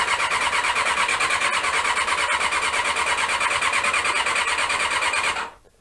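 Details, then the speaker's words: Honda CB-1 (NC27) sat unused a couple of months: the starter spins at an even, fast churn for five seconds with no firing, then stops. Cranks but won't start; owner suspects the carbs need cleaning. "so let's see if it will start and as usual we've got the uh a non-starting problem that you always get with these bikes when you leave them for too"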